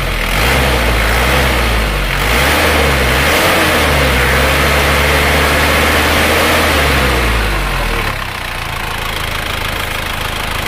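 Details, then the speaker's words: Isuzu Panther diesel after blow-by repair with new liners, sleeves and rings, at 80–81°C working temperature: even clatter rises smoothly through blips and settles to steady idle, no knocks; only normal oil vapour, ready for owner. "nah ini mobil suara sudah siap di bawa pulang"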